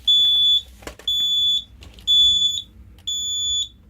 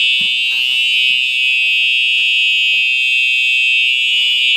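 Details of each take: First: Simplex 4005 fire alarm panel with a Simplex 2099-9756 pull station: high beep about half a second long repeating once a second, continuing after the pull station was reset; panel still showing a trouble signal. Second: If you've heard one TrueAlert horn on continuous, you've pretty much heard all of them.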